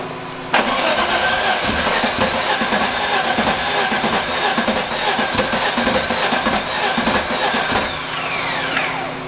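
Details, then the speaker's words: Engine after a timing rebuild, with the timing now correct but still running badly: uneven, hollow cranking at about three pulses a second with brief catches that die out; owner suspects valves damaged on early start-ups and compression loss, and a possibly missing sensor. "Compression, sounds like? I think your might have been valves. Potentially?"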